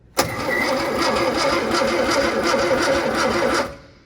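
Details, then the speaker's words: Barn-find Sprite, long-stored, first crank via manual pull on the starter solenoid with battery installed and added oil: about three seconds of quick, even starter chatter; engine spins over freely, spark not yet checked. "well it cranks over well"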